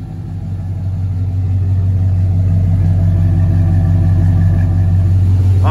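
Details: Rebuilt Cadillac Escalade LQ9 6.0 V8 with ported 862 heads, 10.5:1 compression and mild LS6 cam, quick rev before test drive, exhaust heard: deep steady rumble climbing smoothly then holding even, no knocks or ticks; running nice.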